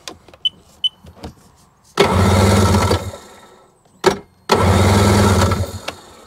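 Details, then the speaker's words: Two-stroke Seadoo jet ski engine, foam between the cylinder head soaked with gas: two long, low starter-cranking bursts with no firing, cranked over to clear excess fuel from a flooded engine. "soaked let me just crank it over to get rid of any and excess"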